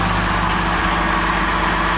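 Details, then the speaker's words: Mercedes-Benz 230SL Pagoda W113 petrol engine ticking over: steady idle with a faint, fast light ticking from the top end, a slight cam or tappet noise, to be investigated, not thought serious. "But a slight cam or a tappet noise there, which I'm going to investigate. Nothing hugely serious."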